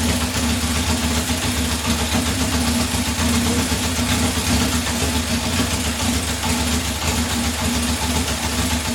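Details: 1978 Honda CB750 K8 after first start following ignition/starter repair and carb install, temporary fuel supply: steady, even four-cylinder idle, smooth buzzy burble, no misses or knocks; idling normally.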